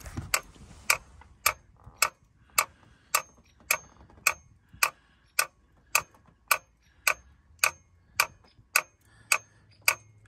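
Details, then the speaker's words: Ford F250 7.3 IDI diesel, cold, won't start: sharp, evenly spaced clicks about every half second with engine off; glow plug relay chattering instead of holding, owner suspects bad relay, some glow plugs out. "the relay must be bad and there must be some globe plugs out yeah see he used to come on just for a little bit and then click"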